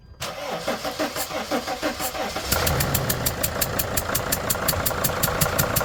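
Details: Freightliner van five-cylinder diesel, number four injector leaking, after retightening injector: cranks and catches, sharp regular ticking puff over idle from gas past injector seal; still leaking but less; owner suspects old washer.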